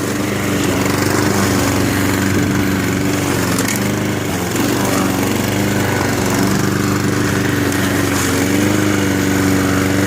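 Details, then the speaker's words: Free Honda push mower mowing with the rear height adjusters set all the way down by mistake: steady single-cylinder drone that sags and bogs now and then as the deck drags on the ground. "Alright, my issue was I had the adjusters adjusted wrong. I adjusted the rears. I thought I went all the way up, but I actually went all the way down. So what it was doing was dragging."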